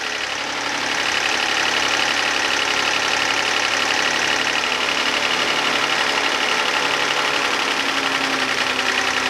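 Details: 2011 Hyundai Santa Fe 3.5L V6 after oil pressure switch and fuel rail work: fast, light metallic top-end ticking over an even idle, louder than it should be; owner suspects lifters or injectors.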